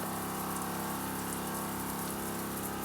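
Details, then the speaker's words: Joolca HotTap pump and heater on Dingo trailer shower, full heat, medium pressure: steady even pump hum under rushing water, no surging or rattle; pressure-switched pump running normally while water flows. "And you hear the pump come on and off as water's flowing. When there is low pressure, pump turns on because water's flowing."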